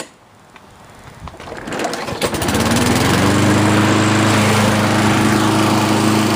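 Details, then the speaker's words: Customer's Lawn-Boy AWD mower after replacing both broken handle brackets, started outdoors in cold windy ~32°F weather: catches after a few cranks, settles into strong even beat at steady pitch; running cleanly. "The machine's ready to go back to the customer. So I'll go ahead and fire it up here for you."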